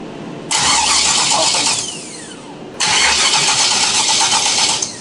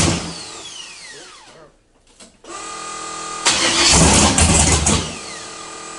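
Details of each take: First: 600+ hp forged-engine 1976 Camaro V8 on Holley Dominator EFI: two bursts of starter cranking, each just over a second, never fires; crank no start, flooded, crankcase filled with fuel twice from reversed MAP sensor wiring. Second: 1976 Camaro, 600+ hp forged V8, first start after fixing MAP sensor wiring (crankcase had filled with fuel twice): cranking, pause, then fires and revs hard with loud lumpy roar; normal start, later running hotter, suspected air pockets.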